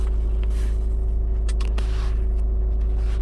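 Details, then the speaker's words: 2010 Subaru Forester 2.5 JDM replacement engine with cold no-start below -12 °C, on a warmer day: starts perfectly and settles into low, even idle with steady pulse, no misses or knocks; normal idle. "they said it was if it was below freezing there was a problem but maybe it's warm enough today not to act up as you could hear it started perfectly fine"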